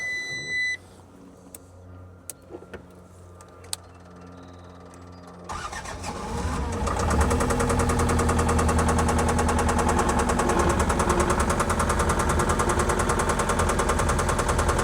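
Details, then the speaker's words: 2013 New Holland L220 skid steer diesel, water found in it after power washing: catches after a rough crank and settles into a steady idle with a faint regular knock; owner suspects a rod knock. "sounds like a rod knock in there, I guess."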